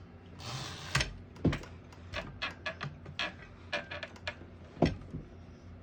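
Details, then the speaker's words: A 1960s Smith-Corona Riviera portable manual typewriter, all functions working, makes irregular crisp keystroke clacks in a quiet room. A brighter bell then rings near the end of the line, marking the end of the margin; this is normal. "Once you hear the bell, you're at the end of the margin."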